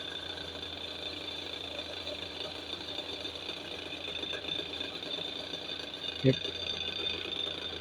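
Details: Table fan motor running with a steady low hum and thin high whine plus one sharp knock: fan vibration and noise problem.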